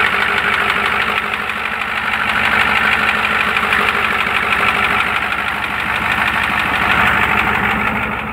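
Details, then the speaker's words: Used, likely worn '93 IDIT diesel in a '93 truck at idle: even knock of about three per second that starts about 30 seconds after startup, as it smooths out and probably gets oil pressure. Valve covers pulled, nothing found. Cause unknown. "as it smoothes out and probably gets oil pressure starts to do that knock-knock-knock knock-knock-knock"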